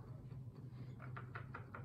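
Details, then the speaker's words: Suzuki HG-425e mini grande digital piano key mechanism: faint light clicks, about five per second, over a low hum as a key counterweight pivots with play on its rod, amplified by the MDF base. Counterweight click from loose pivot. "That's what happens. It's a little bit loose and you can hear a bit of a click as the counterweight pivots on the rod."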